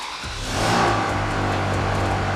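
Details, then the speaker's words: Ferrari 360 Spider after swapping back the old lambda sensor and disconnecting the mass airflow sensors: steady, even idle with no misfire, no warning lights and fuel smell gone. "Now it sounds good again right away, and there are no warning lights, which is strange since the engine management light should be on."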